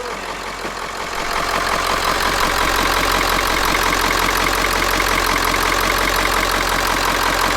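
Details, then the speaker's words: Ford E350 4x4 van, 7.3 liter diesel, just started, not yet at operating temperature. Even steady diesel clatter at idle with no misses or stumbles; normal smooth cold idle. "I guess the good news is it runs it runs really well it idles really smooth and it's not even up to operating temperature"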